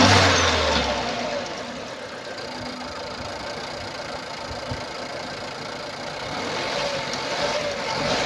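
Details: 2016 Nissan Pulsar C13, 1.2 L HRA2DDT petrol, 85 kW, 97,716 km: an uneven, stumbling idle with an irregular puff and tick about every half second, caused by a burnt exhaust valve.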